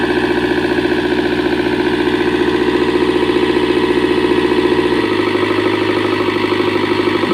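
Heavy diesel idling with a chugging beat near 220 per minute, uneven in strength; it sounds like tired compression after a hard start.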